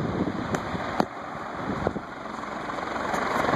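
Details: Envirofan Gold Line 36" industrial ceiling fan model 136F, 2012, running on high, faster in downdraft than reverse: even whooshing hum with faint steady whir and a few light ticks, no grinding or wobble; normal.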